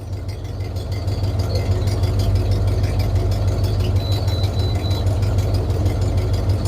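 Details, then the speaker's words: 1996 Ford F250 light duty, after misfire repair for code P1351 (incorrect ignition control module): steady, deep, even idle and revs with no misses; misfire code cleared. "and at the moment nothing so if we give it some revs see what it does let's see okay it didn't sound like it missed which is good"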